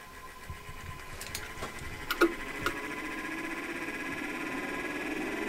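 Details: 5 kW Chinese diesel air parking heater on first startup in a shed at about 25°F, powered by a 12 V lead-acid battery through jumper cables. A few clicks, then a smooth fan whir climbs steadily in pitch as it spins up normally, before the pump self-primes.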